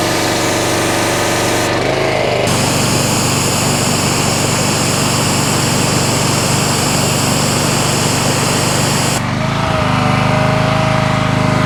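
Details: North Star 3000 psi pressure washer, Honda engine, CAT 5DX40G pump resealed with valves replaced: loud steady drone under constant spray hiss, no surging or shaking; holding full pressure normally after repair.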